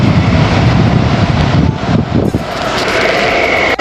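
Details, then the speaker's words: Indoor AC fan motor overspeeding after a mechanic turned the blower backward during service, 27 V present, connectors fine, heard up close: loud jet-like rushing roar stuck at full speed with no speed control. "ਇਹ problem ਹੈ ਇਸ motor ਦੇ ਪੁੱਠੇ ਚੱਕਰ ਘੁਮੇ ਹੋਏ service ਦੇ ਨਾਲ"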